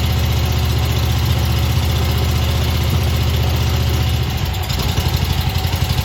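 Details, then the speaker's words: Old Stander mower twin-cylinder engine running only on the number two cylinder (number one had a bent pushrod and stuck exhaust valve); carburetor missing a welsh plug causes a low, lumpy idle that surges and hunts. "um but it is actually running but it's running on the number two cylinder over here um the carburetor excuse me the carburetor is missing a welsh plug which is when i started up you'll hear it kind of surge at idle that's why it's doing that"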